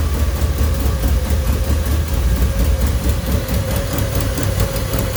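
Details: Toyota Celica GT-Four home-built engine, first start, manually fuelled and running rich, no exhaust manifold gaskets: deep uneven lumpy idle with stumbles and raspy hiss; owner suspects old fuel in the tank being fed to the engine.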